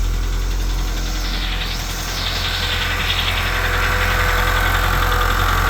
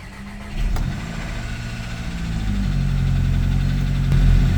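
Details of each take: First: Volkswagen Jetta at idle after reconnecting a forgotten PCV valve: a light, fairly even tick of about three or four per second over a steady idle, suspected lifter, not confirmed; oil smoke from the balance shaft tensioner area followed. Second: Volkswagen Jetta after reconnecting the PCV valve cranks, catches quickly, flares, then settles to a steady low idle with no misfire; slight lifter-like rattle and oil leak from balance shaft tensioner noted after.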